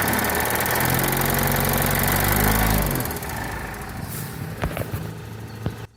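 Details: Mitsubishi L200 4D56T diesel at 98,000 km, knock since 70,000 km: hard, regular knocking at idle that fades as revs drop and stops on throttle lift-off. Valves were adjusted and injectors bench-tested fine, but one injector is knocking.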